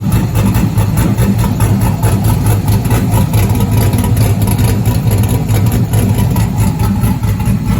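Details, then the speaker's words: 1971 Chevelle body on stock car chassis, 5.3 LS swap with Holley Terminator, Sloppy cam, LS7 lifters, PAC 1219 springs, first start in 30 years: loud steady lumpy V8 idle with cam lope, no knocks; engine sounds healthy. "i'm very excited to hear it run and engine sounds healthy"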